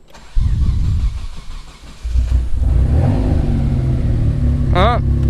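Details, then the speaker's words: Warm Mitsubishi 3000GT VR4 with a new two-step flame tune stalls, then gives a few seconds of rough cranking and stumbling before catching into a deep, uneven idle. Owner suspects too much fuel cut; no knock, oil pressure good. "I think she just had too much fuel cut."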